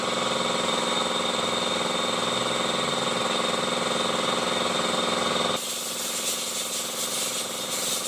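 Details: Honda i-DSI: harsh fast grinding chatter over the running engine, suspected inside the transmission (not confirmed), with vibration and delayed shifting.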